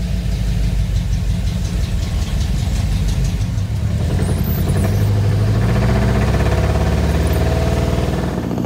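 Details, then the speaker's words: 1985 Ford Bronco V8, warming up, on a drive with vacuum advance blocked off and manual choke: uneven lumpy beat stumbling under light throttle; misfire suspected from corroded distributor cap and rotor. "as you can see it does run and drive if you want to call it that doesn't sound great"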